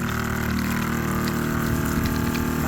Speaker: All right, pump is running. Got the sprayer nozzle hooked up.